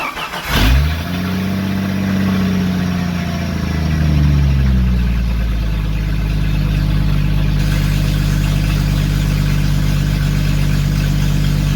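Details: Jeep YJ after a 4.2 to 4.0 inline-six engine swap, first start, loud exhaust: catches at once, flares, then settles to a smooth steady idle with no knocks or misses; oil pressure over 50 PSI.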